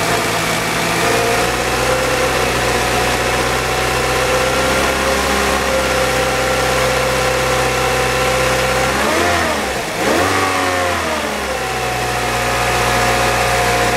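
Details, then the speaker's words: 2007 Saab 9-3 2.0 turbo, front-wheel drive, about 129,000–130,000 miles: smooth even idle, quick blip rises and settles back without knocks or rattles; excellent running motor. "as you can hear this is an excellent running 129,000 mile motor"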